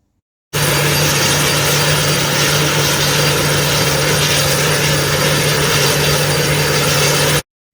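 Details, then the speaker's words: Home-made 12/118 gas turbine, built over four years: loud, steady roar with a constant low hum and hiss, no surging or rattles; normal gas turbine running. "You'll hear it wind up and say, oh shit, it's a bit noisy. You'll take the mandatory couple of steps back."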